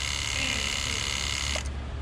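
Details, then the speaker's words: 2008 Toyota Camry Hybrid 2.4, codes C1252 pump on-time too long and C1256 accumulator pressure low: steady high electric pump whine that abruptly cuts, cycling on and off; accumulator in ABS module not holding pressure, module to be replaced. "you can hear it constantly just going on going off trying to build pressure but it's not holding anymore"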